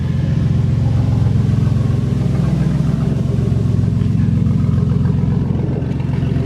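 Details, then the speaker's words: Old Ford van after a fix to the positive battery terminal behind its intermittent no-start: deep, even exhaust rumble with steady pulses and no stumbles or knocks, running well; exhaust tip is cut off. "Oh well, it works. I mean, it looks kind of janky, but this didn't work too well. So now we got this. Runs pretty good."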